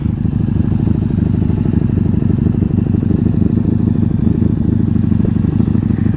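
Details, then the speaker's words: 1997 Honda Magna VF750C V4, a previously wrecked bike. Even, throaty idle burble with a steady rapid beat and no knocks or misses. Running well. "Otherwise, she's running good."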